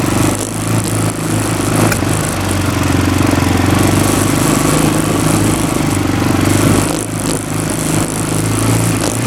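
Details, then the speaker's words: Roketa ATV (Power Sports) small single-cylinder engine running steadily after a ride: light quick top-end tapping over the exhaust, getting louder; cause unclear. "it is already tapping we're going to turn it off for a second to see that it has oil in it"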